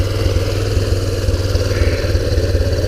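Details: 2001 Kawasaki Bayou 300 after the cam/crank timing adjustment: low thumping idle, about two beats a second with uneven, stumbling spacing; the idle is still unstable and an intake vacuum leak is suspected, not confirmed.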